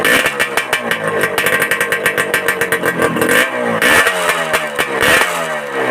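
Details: Suzuki Satria Hiu two-stroke after fitting glasswool packing into the exhaust: sharp, rapid blips rise and fall with the throttle, exhaust note now full and crisp rather than tinny; normal revving.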